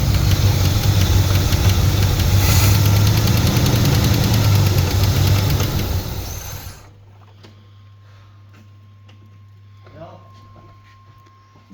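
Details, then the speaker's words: Turbo Trans Am during break-in after partial overhaul (new cam, new turbo, valves set to zero lash). After about 15 minutes, fast, fairly even ticking about three a second over a loud engine, then it shuts down. Excess valve play was later found; hydraulic lifter suspected. "So maybe you heard about that or you heard that uh while I was breaking in it started to have some noise on the engine and even had a misfires."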